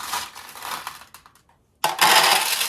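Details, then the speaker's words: Restored 1960s Nishijin Model A vintage pachinko machine: bright metallic rattle of steel balls pouring and clinking into the hopper, a short pause, then a full steady cascade; balls flow correctly through the properly set-up feed. "And again, if the machine is set up properly, they're going to flow from here, here, here, here, and all the way over, which they are."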